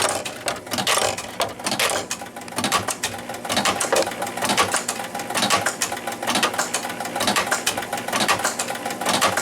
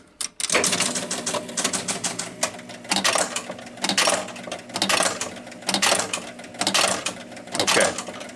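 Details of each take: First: 1976 Williams Space Odyssey pinball machine after start with free-play hack: mechanical clacking about once a second repeating nonstop as the ball eject keeps firing though the ball already kicked out; score motor runs continuously, cause not found. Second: 1976 Williams Space Odyssey pinball machine pressing start after a free-play jumper hack: bursts of relay clacks and reel chatter about every second as it resets, then keeps trying to kick the ball out repeatedly; score motor runs continuously.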